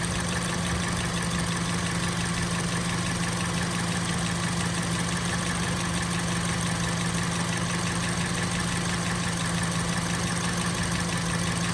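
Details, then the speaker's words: 2005 Honda CR-V EX AWD, low miles, new battery and starter, idling with the microphone hovering over the engine: even, quiet hum with a light fast tick, no knocks or misses, running smoothly and healthy. "But it runs great. Fires right up, nice and quiet like a good Honda should be."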